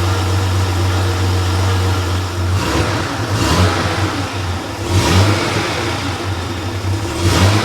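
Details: Freshly rebuilt Porsche 911 air-cooled 3.0SC flat-six built to 3.2 short-stroke specs, warm on a test stand: steady even idle, with quick throttle blips rising and falling cleanly; muffler has a loose baffle that may resonate; healthy.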